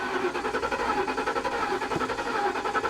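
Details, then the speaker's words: Flood-damaged 2021 Kia K5 turbo that sat over a year at a salvage auction: even starter cranking, never fires. Owner suspects a fuel problem (it has fuel) or possibly spark (individual coils). Crank no start. "it's trying to start you can hear it [Music] you can hear like it's it's it's it's trying i would almost almost bet we're gonna be looking at a fuel problem"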